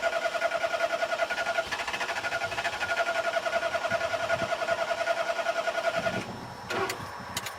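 Starter turns the engine over in a steady rhythm, about three and a half beats per second, but it never catches and fires.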